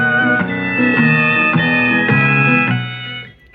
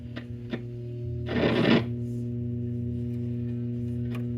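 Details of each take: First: Zenith seven-tube radio after replacing the output tube with a 6V6 and fitting a solid-state rectifier: guitar music plays clearly with no crackle, buzz or distortion; audio now clean, earlier nasty sounds gone. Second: Zenith tube radio with a solid-state rectifier replacement: a loud, steady low hum under harsh, distorted audio; caused by a floating ground from a terminal strip wrongly assumed to be grounded, not a gassy tube as first suspected.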